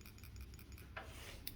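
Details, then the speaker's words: Tipping a small example carburetor: light metallic ticks as the freed check valve ball moves and taps the low-speed screw tip; ball is free, passage clear. "So that's that ball valve, the check valve in there that you have to free up in there, and that's free on this one, so it should be clear."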